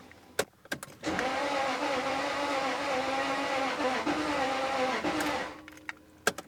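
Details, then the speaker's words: 1999 Jaguar XK V8, said to be the 4.0 L, cranks about four seconds at full throttle with an easy-spinning starter but never fires. Bore wash is suspected and was later confirmed when it started after compression built. Crank, no start. "it sounds a little better uh but still nothing happens Full [Music] Throttle I can feel compression building to be honest just going to give it a break"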